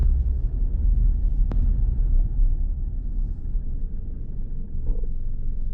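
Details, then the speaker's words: 2014 Nissan Rogue after VVT oil control solenoid replacement, which cured skipping, sputtering and misfire-like running; about three miles into a test drive: low, even rumble with no knocking, idles smooth and more responsive than before. "it actually idles nice and smooth too i know if you can hear that on the video but she's a lot more snappy than it was"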